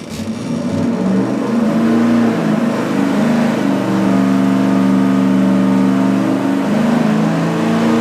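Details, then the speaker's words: Engine dyno full-throttle pull, warmed up, on the budget 750 CFM four-barrel Street Demon carburetor after a thinner metering rod to lean it out. A strong, even roar with no misses, pops or rattles, and no carb standoff seen. Made about 480 lb-ft. "I was watching the carburetor the whole time to see if anything strange happened like standoff or who knows what I didn't see it"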